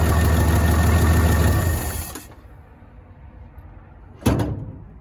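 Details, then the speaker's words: 1965 Chevy C10, sitting since 1994, first run: low uneven thrum for two seconds then dies; gas pedal sticking because throttle return spring was removed during fuel hose work. "The gas pedal's kind of sticking. I think probably help if I put a return spring back on it. Took it off earlier when I was messing with that fuel hose."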